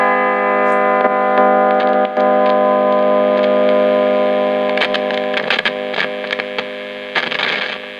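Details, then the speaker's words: Marshall 30W Lead JMP2201 guitar amp, possibly 70s or 80s, on the bench under fluorescent lights: constant buzzy mains hum with a thin edge under handling clicks, interference from the lights; to be retried on the floor away from them. "It's got a sort of bit of a nasty mains hum buzz. May or may not be able to do something about that. I'll try taking it off the bench and putting it on the floor away from the fluorescent lights."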